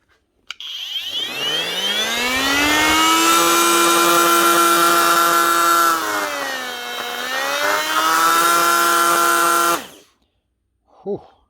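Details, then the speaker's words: Panasonic brushless cordless multi-tool in for repair, running flat out. Loud buzzing whine with a rough edge and rattly vibration. Technician suspects a worn motor bearing. "that's loud what is going on there there's a brushless machine maybe a bearing"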